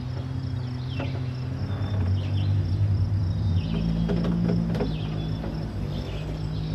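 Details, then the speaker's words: Electric boat motor after controller failure and replacement with EZKontrol-48-1200 controller, drawing about 750-1000 W: steady low hum over water noise whose pitch steps with throttle; new hum not heard before, settings not fully sorted. "Um the only thing is is that there's a bit of a different noise now than it used to make. It used to just spin and I I have like this hum now in there."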